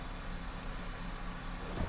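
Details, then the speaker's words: Ford Fusion first start after transmission repair and reassembly, check engine light already on, shifted into reverse and neutral; quiet steady low idle with one soft thump as it takes gear: transmission engaging normally. "Oh, it starts. It's alive. Now the real question, if it goes into reverse. It does."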